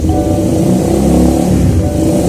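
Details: Suzuki Satria FU single-cylinder engine after fixing crankcase noise from a worn balancer damper: revs up and settles cleanly with no knocking or rattle, running normally.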